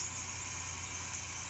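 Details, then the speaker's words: AC unit with switching rewired to analog, fan on high: steady low hum under an even airy hiss, no clicking or cycling; compressor running normally, frost building up. "and I mean it's working hear that condenser working you can see the Frost building up on there"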